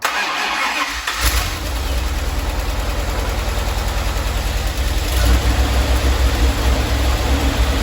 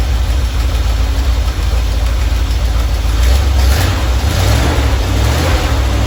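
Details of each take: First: 1977 Dodge Ramcharger 440 V8 first started cold: it cranks and catches, then idles lumpy and uneven. The 100 amp alternator is charging and oil pressure is good. The owner thinks it needs warming up. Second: Normal idle from either the 1977 Ramcharger 440 or the 1968 D-100 318 being revived: an even V8 burble with no ticks, knocks or stumbles. It runs at about 800 rpm with timing about 3° ATDC, warming toward 185°F operating temperature.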